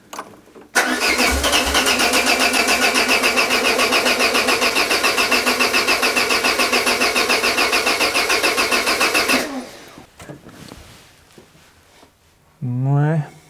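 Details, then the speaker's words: Peugeot 205 with Solex carburettor just refitted: starter churns steadily, three to four beats a second, about nine seconds, never catching after brake cleaner in the carb; battery weakening; unplugged vacuum port lets in air. "insistez insisté ça ne démarre pas et on commence à sentir que la batterie faiblit"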